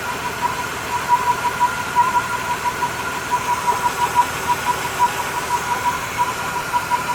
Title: Yv commodore v6 3.8 ecotec werid humming sound from engine